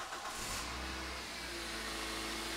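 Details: Toyota engine just after new coil packs were fitted; the number four cylinder was possibly slightly flooded and the spark plugs are still to be changed. It picks up cleanly and revs evenly with no stumble or misfire popping: smooth revving.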